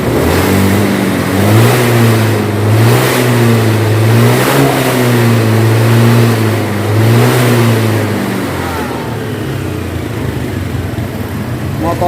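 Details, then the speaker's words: Honda Beat scooter that had bogged and died when the throttle was opened. After the TPS sensor was replaced and reset, the warning light no longer blinks. It revs up and drops back cleanly several times, then settles to a steady idle: normal throttle response. "normal Jaya teman-teman jadi permasalahan motor Beat ini Ketika di gas ngempos terus mati-mati itu normal sudah normal kembali yang bermasalah hanya pada sensor TPS ya"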